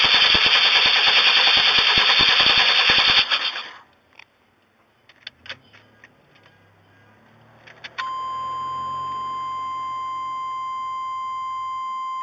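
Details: 1994 Chevrolet Astro that intermittently dies and won't restart after a Seafoam treatment. Quick, even cranking clatter for about three seconds that never catches, then silence and a steady chime; crank-no-start.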